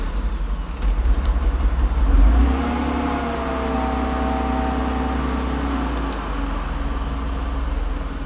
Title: 300sl hard start